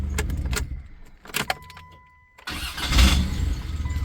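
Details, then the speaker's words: 1993 Dodge Caravan starter cranking after rework: a brief bright metallic ting as the engine catches, less bad than before. The starter engages oddly and may not fully disengage; the owner wonders if it needs shimming. "Yeah, it's still got kind of that metal ting to it, but it's like not as bad."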